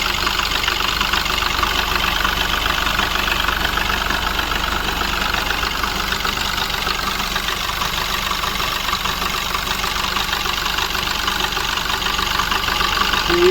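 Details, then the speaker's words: Mahindra Bolero Neo diesel at idle, check engine light on: rough idle with uneven clatter about three per second, engine and body shaking; knocking and misfire from a faulty rail pressure sensor. "Car हमारी start है। किस तरीके से knocking कर रही है। कांप रही है।"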